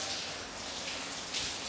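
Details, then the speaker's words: Steady splashing and patter of water pouring down indoors like heavy rain, no pump behind it; water-damaged house with saturated sheetrock and several burst pipes heard, water running onto cabinets. "is you can probably even hear it. But where all that's going right now, that's coming from up there. I do hear a couple different burst pipes,"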